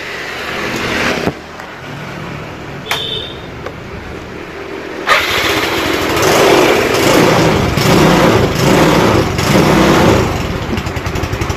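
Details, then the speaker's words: Motorcycle restarted on electric starter after reviving a weak wet battery (was 10 volts, refilled, charged; charging 13.5–14 V normal); quick crank catches cleanly, then steady even putter without stumbling; normal running after electric start. "Kita matikan, lalu kita hidupkan lagi. Kita coba starter."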